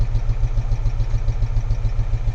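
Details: Geo Tracker idling with an uneven, lumpy, loping pulse and dropped beats, engine shaking; misfire, mechanic suspects spark leakage from an ignition cable, not confirmed.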